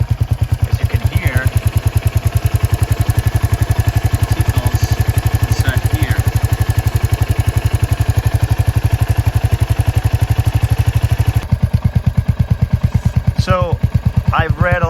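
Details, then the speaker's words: Royal Enfield Hunter 350 at about 3,000 km, single cylinder at idle: a fast, even tick over the thumping beat from one side of the engine, first noticed around 500 km. Owner suspects the timing chain area, but the bike still rides smooth. Not confirmed. "of articles online and seems like this noise comes from here where there's the timing chain and it looks like there are no solutions for fix this"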